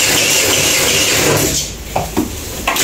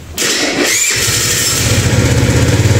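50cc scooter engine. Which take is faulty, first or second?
first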